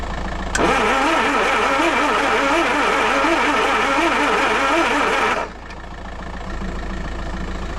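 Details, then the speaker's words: Land Rover 2.25 petrol with refurbished Zenith carb, new distributor, coil, HT leads, solenoid, lift pump and starter, after standing months: starter cranks steadily about four turns a second with no firing; won't start, no fuel coming through to the carb. "There's your answer. We're not getting fuel coming through. No fuel coming through. Back to the drawing board."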